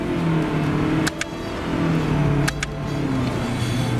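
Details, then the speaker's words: Toyota Crown Sedan (S230) hybrid in manual mode: revs climb briefly, then dip at quick shifts about 1.4 s apart, with small steps between gears, slight delay and rev-matching, and no redline. This is normal close-ratio behaviour. "gears are just like- unnaturally close together, it doesn't sound like a proper transmission, it doesn't let you rev it to the redline and Toyota redlines do sound really good."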